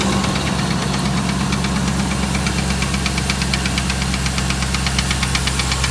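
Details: 2008 Dodge Ram 1500 5.7 Hemi at idle: sharp, regular knock a little under three per second over deep rumble; bottom-end sounding, cause unknown after five mechanics, who suggest a new engine.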